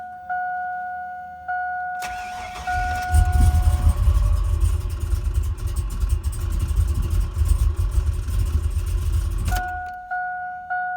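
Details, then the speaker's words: Tuned truck, first start after installing new computer tuned for bigger injectors not yet fitted: starter cranks steadily about seven seconds, chimes before and after, never catches; no-start from injector scaling mismatch. "I had him tuned for the bigger injectors. I didn't put them in yet. So that would be why he does not want to run."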